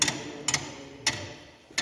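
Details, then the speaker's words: Marine oil purifier motor shaft turned fast by hand: sharp metallic clicks about every half second as the flyweight friction pads fly out and catch inside the friction coupling drum; normal engagement. "Now what happens is, now see I was rotating it slowly. Now when I rotate it fast, you can hear the sound."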